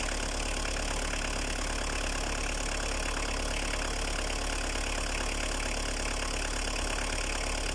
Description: Opel Astra I, 1.7D athmo, 150.000 km, démarrage à froid, il n'avait pas tourné depuis 2 ans.